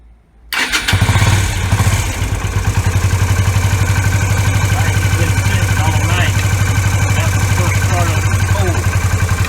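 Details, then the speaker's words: Yamaha V Star 250 after fitting an electric fuel pump and a manual V-Star 650 petcock in place of the vacuum pump and original petcock: the pump runs, the engine fires quickly and settles to an even, steady idle with no stumbling. It runs good. "I mean, you can see for yourself. It runs good."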